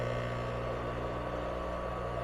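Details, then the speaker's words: Husky air compressor bought new in 2007, replacement electric motor test-run unloaded with no belt and the mount not yet tight: smooth steady hum and quiet whir, no excess noise or vibration, not getting hot. "Nice and quiet. No excessive noise or vibration."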